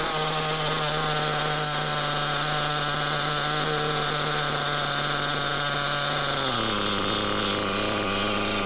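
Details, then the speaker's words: Used Reds R5T nitro RC engine running after a rebuild and a new clutch bell. It buzzes steadily with a harsh, strange hiss over it, which the owner thinks is a worn rear crankshaft bearing. "well sadly still making the heing noise I think it's a rear bearing"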